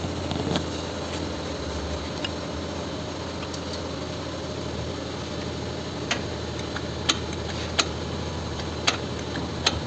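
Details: Kia K5 engine knock: sharp metallic taps over a steady drone that become more frequent. Traced to an intake camshaft phaser that was not locking on its locking pin; the phaser was disassembled, restored and reinstalled.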